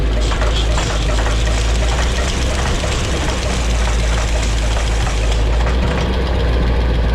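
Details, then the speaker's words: Small-block Chevy V8 at idle, valve covers cut to adjust lash while running: deep steady rumble with a light, regular top-end tapping from one side that adjusting the rockers could not isolate. "Cannot isolate it to save my life. I've tried putting pressure on them, I've tried moving them around, loosening them, tightening them back up. Cannot isolate the sound. Other than to say that it's coming from this side."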